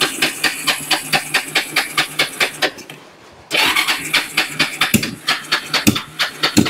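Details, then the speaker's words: Kawasaki Bayou 300 ATV parked for two years, cranked on choke after carburetor cleaning: even cranking that never catches. The spark plug came out soaked in fuel, so the engine is flooded. "okay she is covered in fueled"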